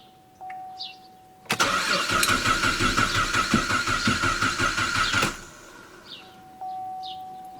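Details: 2009 Cadillac CTS 3.6 V6 RWD crank-no-start, second attempt after electrical patching; the first start was aborted by theft deterrent. Rapid, steady cranking for about four seconds that never catches, then cuts off. Cam/crank relearn needed; cause unconfirmed.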